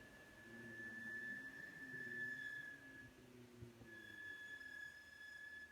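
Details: McLaren 650S creeping slowly after a track day: thin steady high squeal that comes and goes, otherwise quiet; brake squeal after hard track use.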